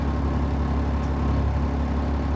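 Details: 2003 Stewart & Stevenson M1078 truck during its cold-start session, idling after air pressure, voltage and oil pressure read good: a steady, even diesel rumble with smooth regular firing pulses and no knocks, rattles or misses. A normal idle.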